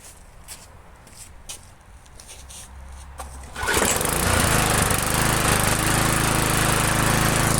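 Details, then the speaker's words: Stiga Multiclip Euro 46S self-propelled lawnmower with a Briggs & Stratton engine, test-run in wet grass after an oil drain and blade sharpening. It fires on the first pull and settles into a strong, even drone with no sputter or surging. Running well. "First pull, that's great. Yeah, it's actually running really good."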